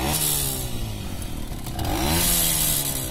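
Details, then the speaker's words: Romet 2375 moped with aftermarket carburetor and non-original cylinder, air screw set just under 0.5 turn; quick clean revs with no bogging, unlike at 1.5 turns. "Nie mam pojęcia, ale tak na tym ustawieniu najlepiej chodzi, bo reaguje od razu na gaz."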